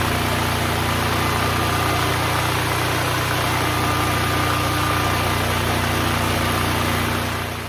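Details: Duromax XP12000EH Hybrid Elite dual-fuel 12,000 W portable generator, neglected for years, revived: steady, even drone at constant speed with no misses, knocks or hunting, running at about 63 Hz with no load; normal no-load running.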